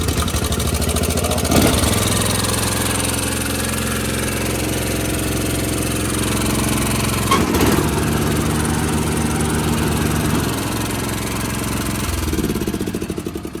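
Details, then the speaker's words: Ranch King riding mower after a custom-built wiring harness with all safety switches bypassed (no neutral or blade safety) and headlights removed, coil wire to magneto terminal; cranks and catches in a second or two, then runs evenly with small throttle changes; normal running. "It starts and runs and operates like it should, just without all the safety."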